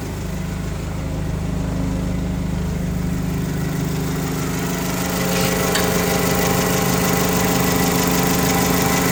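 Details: 2008 Mitsubishi Caterpillar 5000 lb dual-fuel forklift during pre-delivery inspection, running on gasoline: steady even idle, low hum picking up slightly and holding, no knocks or misses; normal idle.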